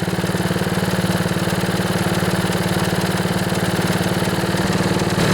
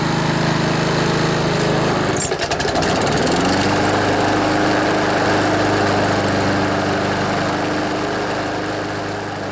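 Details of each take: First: Honda HRB215 lawnmower after a carburetor cleaning, no rebuild, choke off and air filter removed: the small engine idles steadily with an even putter and no stalling. It previously started, then died, and ran only on choke. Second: Older Honda HRB215 Harmony lawnmower, carburetor just cleaned, air filter off, choke off, warmed up: idles steadily, then revs only slightly higher and holds, never reaching full rpm; fix is tightening the governor spring.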